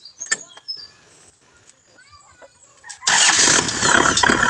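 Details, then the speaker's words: Kubota rotavator that would not start, retested after starter work and battery reconnection: quiet handling noises, then the engine catches at once and runs with a steady, even clatter, a clean, normal start. "So okay na guys. Andar na siya guys."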